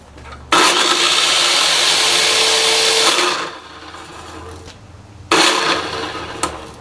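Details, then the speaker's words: Hitachi miter saw after bearing replacement: spins up with a harsh, rough grinding roar, then coasts down noisily and restarts; motor bearing found falling apart. "well since the other bearing seem to be okay I pull the one out for the motor and I can see that it's it's falling apart too"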